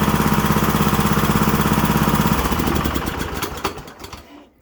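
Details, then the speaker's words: Kohler Courage single-cylinder twin-cam engine (19–21 hp class) with recently replaced head gasket, PTO seal and valve cover seal: heavy rhythmic clanking, about three beats a second, strong vibration, then winds down; normal loud twin-cam clank. "super loud there i hear a lot of vibration and it almost sounds like the unit's going to completely fly apart so again that twin twin cam is very loud"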